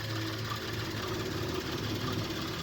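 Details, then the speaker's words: 2019-20 Suzuki Cultus petrol engine at cold start after sitting long: coarse, tractor-like rumble and clatter with heavy engine shaking, worst in the morning, from worn and broken engine mounts. "वाली जो आवाज़ है, एक tractor type की जो है ये आवाज़ आती है।"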